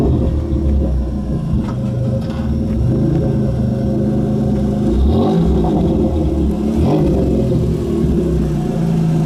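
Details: 1993 Dodge Stealth with automatic transmission slipping and getting stuck in gear, awaiting swap to a rebuilt spare: on take-off the engine drones and rises in pitch while the car barely gains speed, struggling to accelerate; transmission slipping.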